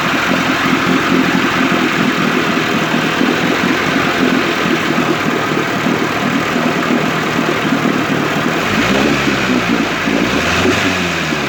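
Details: 1958 Evinrude 18HP Fastwin two-stroke outboard, rebuilt with replacement powerhead, new rings, bearings and NGK B6S plugs, smoking. Busy, raspy buzz holding steady, short throttle blip near the end, clean: normal running.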